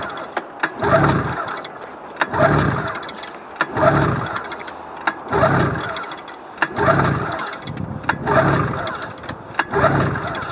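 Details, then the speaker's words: Snowmobile cold start after sitting unstarted since early summer, mice possibly inside: short cranking bursts about every second and a half, never catching; owner plans to clean plugs and maybe prime with gas. "I don't think it's going to start why it has that sound to it"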